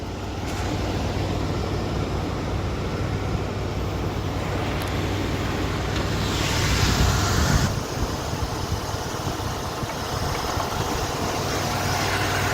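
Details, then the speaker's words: 1981 Ford Thunderbird on a pre-purchase inspection, still cold, idling with the hood open: even low rumble with no knocks or ticks, running smoothly; normal idle. "you can hear it does run pretty smoothly as well"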